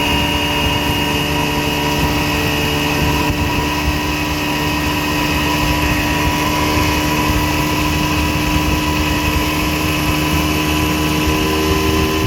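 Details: 1960 Scott-McCulloch 12hp outboard fitted with a 14.1hp McCulloch powerhead, on a lake test with a bronze Michigan Wheel prop and 24:1 fully synthetic mix from an OMC pressure tank. A steady, even two-stroke buzz at constant cruising revs with no misfire. Running healthily.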